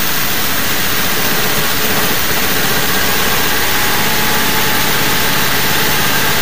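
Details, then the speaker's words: Barn-find 1971 Triumph Stag Mk1 3.0 V8 manual, long stored, after fuel system fixes, with ignition fed by touching a wire to the coil: a loud, rough, uneven lumpy idle. Owner suspects the carbs need cleaning or a fuel shortage. "Well, I've lost the spark or I've lost something. Something's gone."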